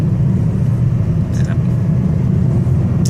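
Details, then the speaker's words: Automatic car in 2nd gear descending a steep mountain road with light braking: a steady deep hum of engine braking. This is normal. "เสียงอื้อๆมั้ยครับเนี่ยครับเครื่องยนต์มันก็ใช้พลังเครื่องในการชะลอตัวรถไม่ให้รถันนั้น"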